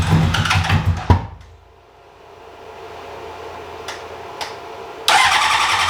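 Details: 2003 Honda CBR600RR project bike, previously ran only about 15 seconds: brief cranking burst, pause, second attempt; turns over but never catches despite gas, spark, oil and coolant.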